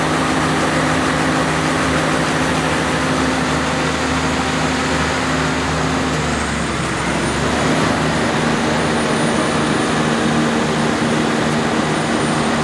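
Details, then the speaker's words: Generator with a 1106 diesel engine, before injection pump droop adjustment, with unstable frequency and the engine visibly bumping. A steady drone whose pitch sags and surges unevenly; the engine is hunting, to be fixed by the governor droop adjustment. "now as you can see there is having a lot of luck fashions and also it's having the engine uh hunting so you can see the engine is like bumping each"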